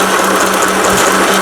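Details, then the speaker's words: Elna Hello Kitty mini sewing machine, Thailand-made, after whole needle bar unit replaced and realigned: steady rapid stitching chatter with constant motor whir, loud due to small size but regular; sewing properly. "기계가 작다 보니까 소음도 굉장히 크고요."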